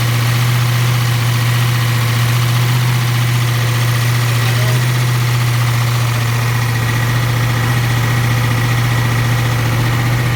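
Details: First start of a 7.3 IDI diesel after a complete top-end rebuild, after 11 years of sitting. Started on ether with fuel from a jerry can. Strong steady idle, even low drone and regular clatter, no misses or knocks: running strong.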